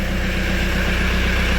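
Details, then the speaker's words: VW T4 Transporter 1.9 TD diesel van, just started from cold after sitting and a new ignition barrel fitted; even, steady diesel clatter at idle with a regular beat, no knocks or misses, noisy as these are when left; normal cold diesel idle. "but it's running well [Music] okay that changes things so yeah they're always noisy when they start these especially if theyve been left the one 19 TD"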